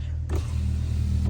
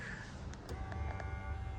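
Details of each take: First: 2020 Ram 1500 right rear power window after replacing the broken window motor and regulator: smooth, even motor hum as the glass travels fully up and down, with no grinding or clicking. Normal power window operation after repair. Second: 2020 Ram 1500, right rear door, switch pressed: steady low electric motor hum that never changes pitch while the glass stays put; window motor spins but the regulator is broken, motor and regulator being replaced.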